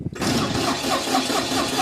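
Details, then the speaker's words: Cold Deutz diesel engine-drive welder, 9907 hours, no glow plug: slow, labouring crank with uneven firing that won't catch; hard starting, owner suspects gelled fuel. "but let's see if it fires up oh it's struggling oh come on come on nothing turning off for safety that's with no globe plug"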